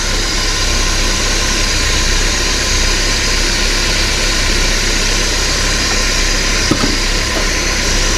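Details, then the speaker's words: 1993 Porsche 968 3.0L running without the belts fitted: steady, fairly quiet idle with no chattering; the earlier chattering came from the cam belt catching the gear teeth. "start it off up without the belts on there and see if that noise disappears well that's definitely a lot quiet"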